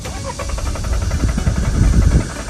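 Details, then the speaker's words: Warm engine at normal coolant temperature, restarted after shutdown: steady rhythmic starter churning with no catch; starts only cold in the morning, coolant sensor already new, traced to a dirty intake air temperature sensor. "车主反馈说，每天早上才能打着火，打着火以后不敢熄火，一熄火就再也打不着了，只有等到第二天早上才能打着。"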